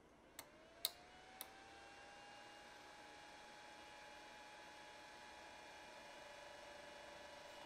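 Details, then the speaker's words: Ender 3 (SKR Mini E3 board) after the cooling fan was swapped for a Noctua 40x20 via buck converter: clicks, then a thin, steady, constant-pitch whine from the still-stock mainboard case fan, later replaced with a Noctua 40x10. "however now I'm starting to realize how much noise the fan on the main board case is making which is leaving me quite unsatisfied"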